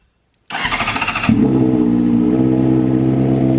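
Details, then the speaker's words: Owner-rebuilt wrecked 2013 Honda CBR600RR started after plugging in the tip-over sensor in the headlight assembly; the fuel pump hums priming, then the engine catches with a bark and settles into an even, steady idle. Normal start; oil age unknown. "I'm going to start this bike before I end this video because I know if I plug in that tip over sensor that is in the headlight assembly, this thing should start up."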